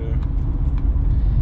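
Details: BMW 123d E81 N47 diesel idling after timing chain and tensioner replacement: steady even idle with low smooth beat, no rattle or buzz on top; normal idle.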